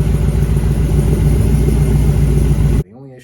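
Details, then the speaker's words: LT4 crate engine swapped into an El Camino, first start after priming and cranking for oil pressure: fires right up to an even, steady low idle with no knocks or misses, then cuts off. Normal idle. "so you know comes time to fire it up plug in the fuel pump crank it over a little bit fires right up"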